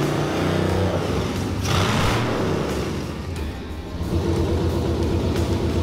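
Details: Corvair with LS V8 swap on open manifolds after the first start; first start had been delayed by an unplugged wire. Loud, raspy V8 revs up and settles back with steady firing and no knocks or misses: runs normally.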